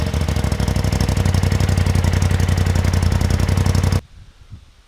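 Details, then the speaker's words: 2016 Polaris RZR Turbo twin after replacing old spark plugs (torqued to 7 ft-lb) for a misfire code from one cylinder lacking spark: even idle about 220 beats a minute, no skips, misfire code apparently cleared. "Alright guys, switching out the spark plugs seemed to fix our misfire code problem."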